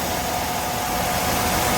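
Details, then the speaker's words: 2005 Mercedes-Benz W211 E260 Elegance, about 70,000 km, after engine-out oil-leak repair and automatic gearbox overhaul, idling with fans and AC on: quiet, even idle over steady fan hiss, no knocks or ticks; smooth engine, no oil seepage. "suara mesinnya halus banget dan Saya jamin gak ada sedikitpun namanya Oli rembes di area mesin di area gearbox"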